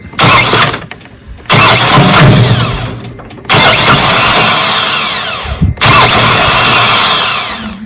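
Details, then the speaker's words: Mahindra 1635 tractor with a dealer-rebuilt starter: three short bursts of high whirring that wind up and fade without turning the engine over, as the pinion gear isn't staying out to engage. Owner suspects the battery or cables; unconfirmed. "tells me the battery might be junk you hear that though that's uh the pinion gear is not staying out"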